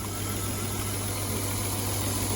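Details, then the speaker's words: BMW M50 inline-six from an E34 that had sat for years, after freeing a stuck injector and fixing vacuum leaks: smooth, even idle on all six, no misfire, stumble or knock. "and there we go she's on all six finally in the for the first time and i don't know how many years turns out at the end of the day it was just the injector stuck"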